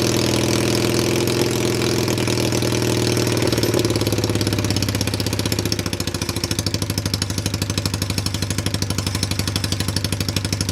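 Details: Cheap Chinese ATV single-cylinder, bad CDI bypassed with coil trigger jumper, run from jump pack: catches and settles into steady putter about three beats a second; normal idle, though clutch later found faulty.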